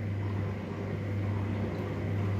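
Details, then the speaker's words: Electrolux washer-dryer in manufacturer test mode, drain and spin step: drain pump pumping water out with an even, low steady hum and no gurgle, rattle or strain, running normally. "drain and spin thì lúc này nó mới thoát nước và và quay này và vắt này đấy thì chúng ta sẽ thấy là bơm nước nó sẽ bơm nước ra khỏi máy giật"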